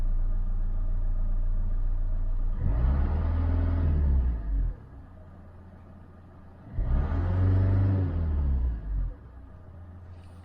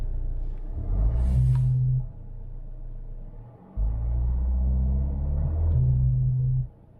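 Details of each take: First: 2012 Vauxhall/Opel Insignia 2.0 CDTI diesel after repair: steady low idle and three clean revs, buzzing gone after replacing turbo wastegate actuator vacuum hose. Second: 2012 Vauxhall/Opel Insignia 2.0 CDTI diesel: low droning buzz coming and going over the engine rumble, traced to the turbo wastegate actuator vacuum hose (part 55587330), replaced to fix: turbo wastegate vacuum hose buzzing.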